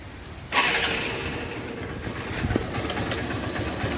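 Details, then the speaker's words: 2008 Hero Honda Hunk, about 16 years old, right after a cold start: quick, light tak-tak rattle over idle; owner suspects piston or timing chain. "तो friends यह जो टक टक टक sound आ रहा था यह वो साउंड है मुझे यह साउंड पिस्टन का लग रहा है या फिर टाइमिंग चेन का भी हो सकता है"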